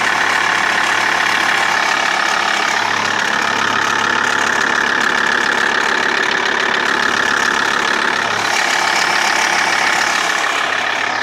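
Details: Ticking at idle on a TDI diesel: fairly regular light ticking, about two to three clicks a second, over normal clatter. Crankshaft pulley and tensioner already changed without fixing it; timing belt changed 20,000 km ago, though owner doubts it is timing. Source unidentified.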